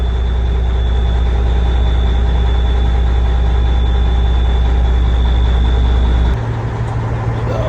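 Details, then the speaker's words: 1994 Peterbilt 379 truck, 1994 5EK diesel set at 475 hp, 18-speed, push-button cold start after sitting: settles into deep, steady idle, even beat, no knocks or misses; normal. "So let me start it up real quick so y'all can see that it does work and does run."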